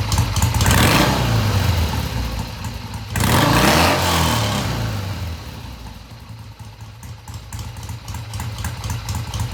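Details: 1971 Triumph T120 650cc twin after pilot mixture screws tweaked about an eighth turn: starts, revs up cleanly through mid-range and settles to a steady, even idle with no hesitation.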